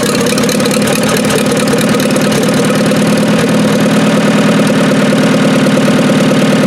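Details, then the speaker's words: Dozer T4 engine, first run after rebuild and reinstallation, with ignition timing set, head re-torqued and valve gap set, and no coolant yet: a steady, even diesel-like idle with a smooth regular beat and no knocks, misses or rattles, sounding healthy. "And yeah, that sounds pretty good. Don't want to run it too much though. There's no coolant in it yet, so awesome."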